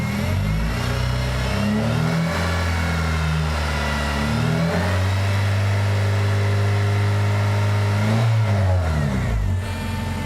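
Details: Manual-transmission car coming off high idle: revs hunting up and down every couple of seconds; suspected stuck-open PCV valve, idle improves when the PCV is blocked off.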